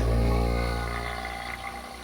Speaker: This one's overheating too. Can you hear it spooling down? Experiment failed.